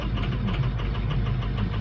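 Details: 2006 diesel at 53 degrees, started for an injector check: idle with an uneven, lumpy beat and recurring knocks; contribution balance shows injectors number 2 and 4 are weak, causing a rough idle.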